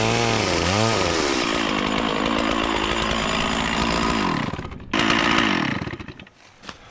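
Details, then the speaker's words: Stihl 044 Magnum chainsaw, 20-in Oregon bar, freshly sharpened chain, revived after sitting for years, cutting small wood (helmet GoPro POV): crisp revs climb and hold, bog cleanly into the cut and recover; runs healthy. "I'm super psyched about this saw. This thing rips. I know I was cutting some really small wood with it."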